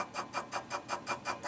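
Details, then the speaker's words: Sony CDP-C305 CD changer in disc shuffle mode: a quick, regular chattering burst of about five or six per second as it skips and fails to track the disc. It seems to happen only on some discs. "holy crap that sounds terrible there we go now it's screwing up"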